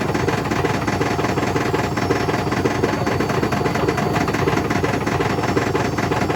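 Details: Hotpoint BHWMXL145 washing machine at full test spin heading toward 1400 rpm: fast, heavy, irregular banging as the drum slams around hard, because two drum spider arms have snapped.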